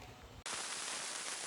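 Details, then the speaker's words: Behringer FX2000 effects unit with working cabling outputs loud dense crackling static like rain or frying; before opening the case and cleaning the PCB, especially input and output sections. "Seperti suara hujan rintik-rintik ya atau suara goreng apa gitu ya. Kerosok kerosok kerosok gitu ya."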